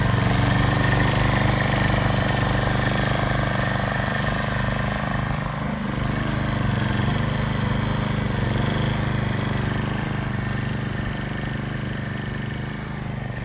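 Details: Repaired older hybrid RCLM mower, gas engine running at full power forward: steady low drone whose RPM eases down slightly as load comes on, then holds smoothly, showing the hybrid system is sustaining power; earlier fault was unsustainable power and faulty electric start.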